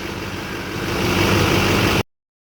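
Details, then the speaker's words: Chevrolet Duramax diesel idling after replacing both idler pulleys suspected of a humming noise: a steady, even low rumble with no hum or whine, so the new pulleys appear to have fixed it. "I don't hear it. So it looks like a fix."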